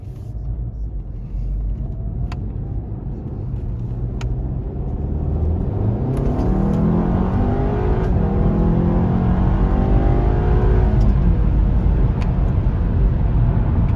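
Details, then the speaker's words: 2017 VW Golf R Mk7, IE Stage 1 ECU and DSG tune, after installing colder spark plugs and APR coil packs to fix a cylinder 3 misfire: smooth, strong acceleration without stumble, no check engine light; bad plug believed the cause. "or that felt good hey no check engine light so it's definitely a bad plug oh yeah that's how it should feel yeah"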